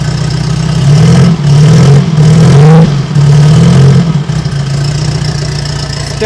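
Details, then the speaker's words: Air-cooled turbo VW Bug after replacing blown exhaust gasket, cold start: deep steady idle with slight rev rise and fall, the earlier ticking now gone. "turned it on and you don't hear that ticking sound anymore so i'm gonna turn it on for you guys so you guys can hear it"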